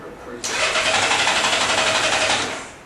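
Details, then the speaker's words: 1997 Honda Goldwing that won't start, owner suspects month-old fuel, tried full then half and no choke: starter churns about four beats a second, fading without catching as the battery seems to be running down; before adding fuel additives. "You can hear it doesn't want to start. You got no choke on now. The first time I tried with choke. Try half choke. Now it just seems like the battery's starting to die in it."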